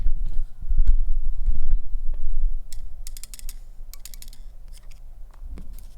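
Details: Keyboard stabilizer test: a few taps then quick ticks about four per second; one side of the stabilized key clacks louder, an imbalanced or bent stabilizer wire.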